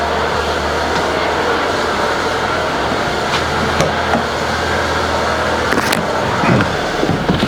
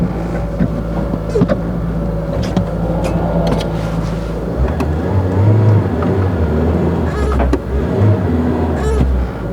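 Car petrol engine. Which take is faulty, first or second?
second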